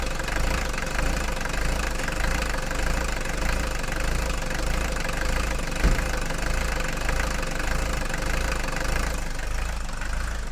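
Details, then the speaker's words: Mercedes 240D diesel after fuel injector repair and valve lash adjustment, having clanked and smoked before: even diesel clatter at idle with a smooth rumble, no clanking, misses or smoke; normal idle. "now yeah this sounds really really nice now there's no clanking whatsoever"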